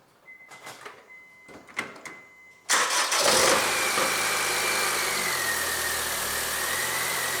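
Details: Honda Civic 1.8 L gasoline engine after repair of a crank-but-no-start fault caused by a loosened engine-block bolt holding the cables: the starter whirrs briefly, then the engine catches cleanly and settles into a smooth, even idle with no misfire or knocking.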